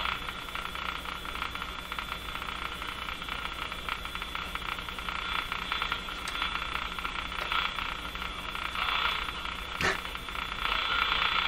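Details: Electrohome Cosmic tube radio on a dim-bulb tester at 103 V, after replacing the final three capacitors to cure distortion (speaker already ruled out): steady hiss, faint whistling band and odd crackle; bias voltage being checked, cause unconfirmed.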